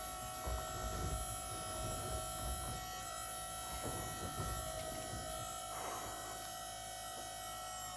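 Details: Volvo electric power steering pump fitted to Chevy S-10 with custom hose, on 80 A breaker, turned all the way up: steady even whine at one pitch over low hum; pump running smoothly.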